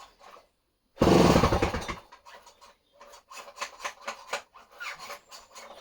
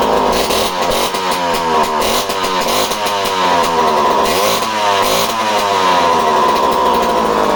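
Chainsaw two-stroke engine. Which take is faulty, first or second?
first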